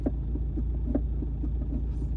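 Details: 1.9 TDI diesel idling after warm-up, clutch in and first gear selected: soft, regular thumps about three a second; new since a second-to-third shift, lever springs back and goes tight; gearbox cause unclear.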